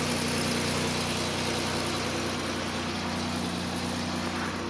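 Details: 2005 Chevy Equinox after an upper engine rebuild (heads pulled) following a broken spark plug: steady, even idle with a smooth low hum and no knocks or misses; normal idle.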